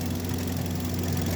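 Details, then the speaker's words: Hyundai Grand i10 (2025 model) idling after complete overhaul, earlier exhaust smoke now gone: smooth low steady hum, no knocking or tapping; quiet and even. "Yun. Ganda. Yun, oh. Ganda ng andar, oh."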